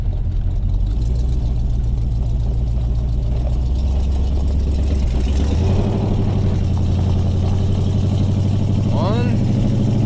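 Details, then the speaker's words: 1970 Chevelle V8 driving right after the transmission was reinstalled: deep, even burble rising smoothly as it pulls away, no knocks or misses. Oil pressure, temps and charging are all good; normal running. "still sounds good oh pressure's good temps good charging can't ask for much better than that"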